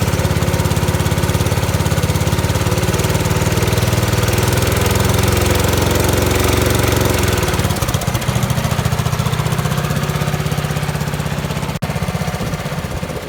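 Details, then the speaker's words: 1970 Bolens 1253 garden tractor, warmed up, first run in years, driven under load: low rough drone, then picks up speed as load comes off, with occasional blue smoke; governor problem suspected, valves possibly for the smoke. "on occasion it did puff out a bit of smoke and when you took the load off it uh it did rev up quite a lot which that could be governor problem"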